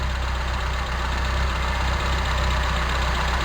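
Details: Toyota Tercel 4WD carburetor engine idling low, around 600 rpm, during vacuum-line checks (owner suspects a bad carb, excess vacuum or the primary cut solenoid causing cycling): uneven, slightly loping pulse about four beats a second; rough idle.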